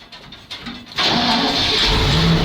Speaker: Ура! БРДМ! Зажигание. Так, заводим.